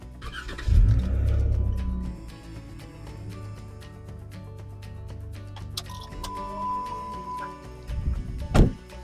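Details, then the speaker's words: Jeep started directly from an Auxito jump starter with both battery terminals disconnected (jump pack dropped from 90% to 77%): a short crank, then it catches and settles into a steady run. A clean, normal start. "And there you go, the Jeep cranked right up."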